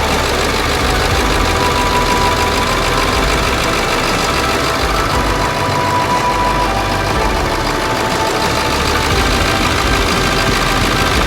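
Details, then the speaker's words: Late 1999 Ford F-350 7.3 Powerstroke diesel, first start after engine wiring harness replacement, cold garage: steady even diesel idle with soft regular clatter, no misses or odd knocks; purring, normal idle after repair. "okay anyway I couldn't be happy you hear that thing purring like a kitten fantastic"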